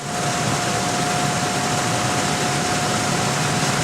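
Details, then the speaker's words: Rooftop Lennox unit after blower bearing replacement: steady, even rush of air with a constant mid tone and no thumping or rumble; blower runs smooth, where it previously vibrated badly. "Look at that. This thing was vibrating all over the roof last time."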